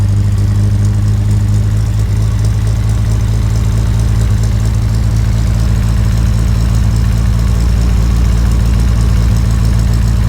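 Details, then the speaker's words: 1967 Morgan Plus 4 Drop Head Coupe just started after years unused; steady low rumble with even firing at raised cold idle, slightly rough, dropping from about 1,200 to 800 rpm as it settles; high idle settling after cold start. "1,200 yeah 1,000 like 900 800 rocks a little bit"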